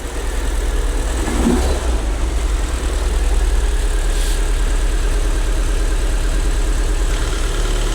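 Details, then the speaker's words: Long-abandoned, crash-damaged Fiat Punto Abarth. Engine catches and settles into a low idle that pulses somewhat unevenly. Rough idle, cause unknown; a clac-clac noise is mentioned afterwards. "Ouais. Tourne pas rond, je crois. Non."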